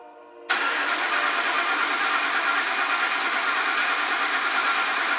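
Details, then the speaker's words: 2004 Ford F150 5.4L, cold first start after timing component reassembly for engine noise: catches and settles into steady even running, expected initial clatter much quieter than before; clean start. "let's fire it up and see how it sounds now keep in mind it is going to clatter around the initial start up that sounds much quieter now"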